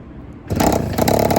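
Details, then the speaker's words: Honda Express 2 scooter, 60cc big bore, after tuning, restarted after sitting a couple of hours: single kick catches and settles straight into a steady even idle; easy first-kick start, a massive improvement. "Oh, yeah, first kick? Are you kidding me? That's a massive improvement."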